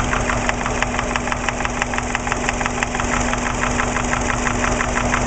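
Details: Subaru Impreza EJ20 at idle, 30 psi oil pressure: quick, fairly even top-end knocking, loudest at passenger-side head above cylinder one, varying and coming and going; began right after a startup, no metal in oil, 500+ miles since.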